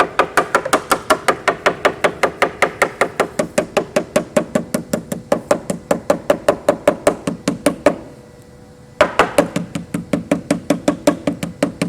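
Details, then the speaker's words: Bellanca wing inspection, tap test along a wing rib: crisp taps about two and a half per second that go dull toward the outer edge, solid elsewhere; rotten wood in the rib there. "And as I move to the outer edge, my tapping gets dull."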